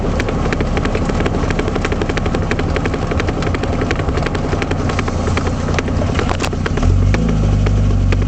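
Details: 1978 Triumph Spitfire, rhythmic rear knocking while driving that keeps pace with road speed over engine and road noise; caused by a failed passenger-side rear axle (half-shaft) universal joint.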